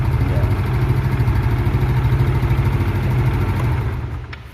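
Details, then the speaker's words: Automatic scooter after valve clearance adjustment for a loose-valve ticking noise (valve cover O-ring hardened, leaking oil): even low idle putter with no ticking or clatter, then the engine shuts off; valve train now quiet. "nggak apa-apa yang penting sudah tidak apa-apa yang penting sudah tidak Berisik lagi"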